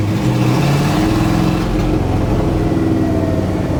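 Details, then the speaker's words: 1980 Dodge W200 V8 truck on its first drive since restoration: revs climb, then sag and flatten under throttle. It doesn't like throttle input and falls on its face; the cause is unknown, and running out of gas was wondered about. "And it falls right on its face for some reason. Falls right on its face. I don't know why it's doing that."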